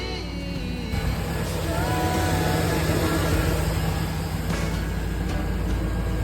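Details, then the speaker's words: 2005 Chevy 2500 gasoline truck after splicing squirrel-chewed PCM wiring that caused crank-no-start and no PCM communication: starts and holds a smooth, even idle with no knocks, misses or squeals; MAF codes present, running properly. "Let's see if it'll start up. Hey, there it is. Running good."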